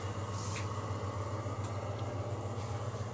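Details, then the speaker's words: Ceiling bathroom exhaust fan in a small hotel room: loud steady low hum with soft uneven throb/drumming, fan vibrates to touch, loudness varies with head height; cause suspected, not confirmed; noisy exhaust fan hum. "we got the bathroom fan in the ceiling of a small hotel room the net there I put on to keep mosquitoes out you can hear the sound is a bit noisy and"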